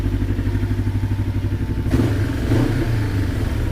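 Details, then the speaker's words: 2007 Kawasaki Ninja 500R after full carb cleaning with new needles, aftermarket exhaust, first ride: parallel twin burbling evenly and picking up cleanly on throttle with no hesitation; sounds good. "oh she sounds good"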